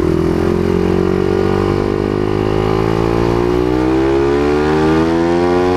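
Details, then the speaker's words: Honda CBR150R whose muffler silencer insert fell out during a ride the night before: loud raspy single-cylinder exhaust drone climbing with revs, crisp and much louder than stock. "Hala Parang gusto ko yung tunog guys malutong parang chicharon"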